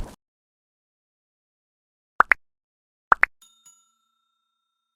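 Two quick double beeps about a second apart, then a fading chime: the answering machine is signalling unheard messages waiting.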